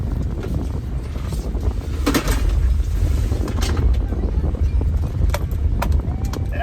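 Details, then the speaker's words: 2003 Honda Element after passenger-side CV axle replacement, tight full-lock U-turn; steady road rumble and wind, no clicking or banging where the failing joint banged before; normal CV axle. "that sounds better right and around we go no popping axles this time"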